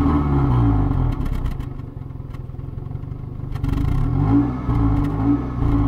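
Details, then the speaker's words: Toyota 1ZZ-FE engine decarbonized with solvent poured into cylinders, idling slightly revved: uneven, lumpy idle that sags and nearly stalls before catching again; rough running from solvent in cylinders. "Le moteur n'aime pas trop ce qu'on a versé dans les cylindres, il essaie de caler, sape, il ne survivra à rien."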